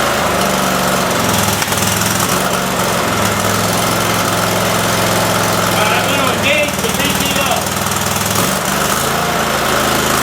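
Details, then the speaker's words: Cub Cadet mower small engine, PTO engaged and spinning blades: hunts and stumbles with an uneven beat that dips and recovers; misfiring; owner suspects a leaking fuel solenoid sucking air, not confirmed. "well crap all right back to the drawing board but the PTO does engage and spin the blaze I just got to figure out why this is uh not running right"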